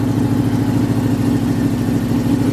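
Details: Cold-start idle on a Cutlass on a cold day around 30-something degrees, while warming up: a rapid puffing tick keeps time with the firing. The middle manifold bolt is back in but the gasket is blown, so it's quieter than before. Exhaust manifold leak.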